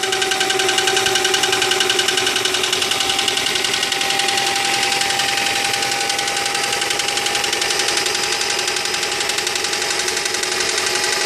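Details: 2001 Honda Prelude with H22A4 engine idling with a loud rapid metallic knock over a thin steady hum; cause not yet found, engine to be taken apart.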